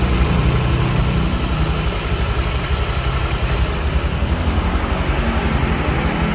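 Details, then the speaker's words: Honda Vario scooter idling after replacing the cam chain tensioner, throttle body refitted: steady, even low putter with no top-end clatter or ticking; engine now sounds smoother and quieter, engine teardown seemingly not needed. "dan ini kita coba dan teman-teman bisa dengarkan untuk ee suaranya ya setelah diganti untuk pensionernya lebih adem"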